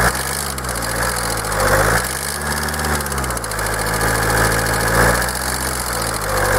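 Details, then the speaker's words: Kia 2.0 CRDi Bosch common-rail diesel, hot, at idle: sharp metallic clatter ticking fast and regular through small rev swells; stethoscope finds the knock spread over the whole engine, unchanged on every injector. "ah tak próba ustalenia słuchawkami Puść gaz Niestety była niemożliwa to stukanie przenosi się tak jakby po całym kurczę silniku i nie ma na żadnym wtryskiwaczu zmiany"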